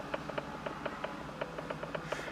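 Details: Light, uneven ticking of several clicks a second, heard inside a 2005 Buick LeSabre Custom in a quiet cabin while scanning for an airbag light with a front-end sensor malfunction code. The source cannot be pinned down.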